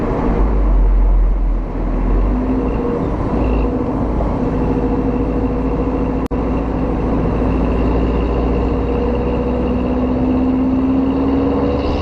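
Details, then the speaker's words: 2009 VW Golf Mk6 1.4 TSI 128 bhp petrol with stock exhaust and DSG, driven hard: engine pulls with rising drone, brief dip and short pop at the upshift around 4000 rpm; normal DSG upshift burble. "so when you hit about 4000 when it grabs when it changes gear that's when you're gonna hear the dsg uh thoughts"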